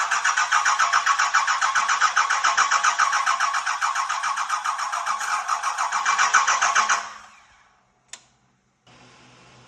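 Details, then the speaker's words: 1986 Ford F350 with a swapped 5.9L 12-valve Cummins and no cooling system: the starter churns about four turns a second but it won't catch; the fuel filter was possibly unfilled, and it started after bleeding the injectors and tightening a filter fitting. "are you sure you filled that fuel filter cuz if you didn't fill that filter we're just pissing in the Wind"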